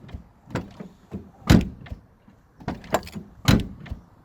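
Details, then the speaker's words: Nissan 350Z driver-side door: latch clicks, then a short quick motor whir as the glass drops slightly on opening, the normal window auto-drop; the passenger-side window fails to drop. "the window itself doesn't actually go down at all however when you open the window drop as you can see there look"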